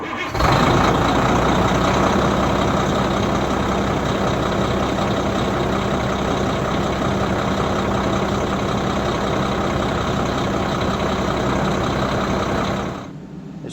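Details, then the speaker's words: Country Coach Magna RV diesel, started in the morning after sitting overnight: a short crank with good cranking power, instant catch, then a steady, even idle for over ten seconds with no misses or knocks; a healthy cold start. "sure started up easy. That's good. Nice cranking power."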